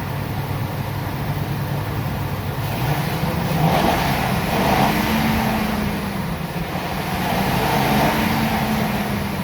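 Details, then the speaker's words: Ford E350 V10 RV motorhome after serpentine belt and Gates tensioner replacement, fixing recurring belt squeal; engine revs smoothly twice and settles, no belt squeal or chirp — normal rev. "after i start it up i always like to look and see if everything's running good everything everything is tracking exactly as it should let's give it a rev"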